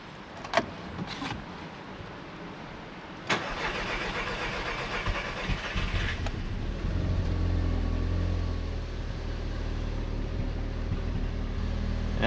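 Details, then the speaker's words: Audi TT after months of misfire diagnosis and a cylinder head rebuild, first cold start on a jump pack: cranks, catches cleanly, settles to a steady idle slightly high while cold, no misfire; normal cold start and idle. "Idle's a little bit high at the moment, but I think it's probably just cuz it's going to warm up. Nothing crazy out the back. That's good. Sounds good. It doesn't sound misfirey."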